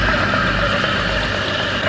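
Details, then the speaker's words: Donkey pump running after servicing with its original crank set cleaned, not replaced, and oil topped to the second mark; even motor hum with a faint light rattle from slight play in the crank set, no fault found. "इसमें कोई fault नहीं था, crank set भी बिल्कुल सही था, थोड़ी बहुत पिले थी, उसी पिले की वजह से आपको मामूली सी आवाज़ सुनाई दे रही होगी।"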